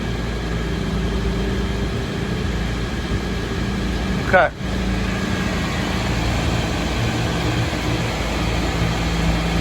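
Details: Raypak pool heat pump showing HP (high pressure) error, all-original contactor, capacitor and relay: loud, strained compressor drone with the contactor pushed in manually, high side reaching about 795 psi.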